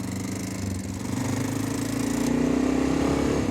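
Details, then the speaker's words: Honda Dominator 650 single running smoothly at about four beats a second with a steady thump. The cam chain rattle is gone after the chain snapped back; camshaft new, chain reportedly new, oil adequate. "अब यह अभी वापस तड़क गया है यह पूरी तरह से चला गया है अब हाँ तो आप कुछ भी नहीं सुन सकते हैं अब यह सब अच्छा है"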